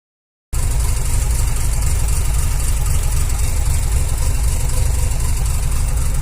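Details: 2001 Mazda RX-7 FD3S (JDM) rotary engine with a rough, lumpy, uneven idle and a shaking boost gauge needle.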